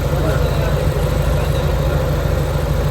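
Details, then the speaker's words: Honda Civic EK, warm, after idle air adjustment for the aircon load: deep, even, steady idle with AC on, no hunting or misses; idle now normal. "ganda na ng menor. Ayan oh. Sobrang tining parang aircon lang to."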